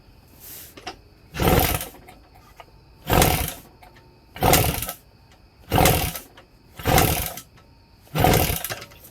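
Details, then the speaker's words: Kawasaki KE100 compression test, kicked at wide-open throttle until the needle stops: soft, weak whooshes, reading 60 psi, very low; most likely from the engine sitting. "Okay. So right here we have 60 psi, which is low. Very, very low. Why is that low? That is low because, most likely, because the engine was sitting."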